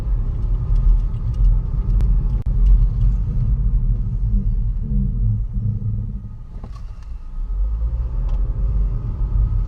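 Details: 2012 Kia Rio SX GDI hatchback, warmed up: deep, throbbing rumble that swells and fades in slow waves; brakes checked and fine, cause unknown.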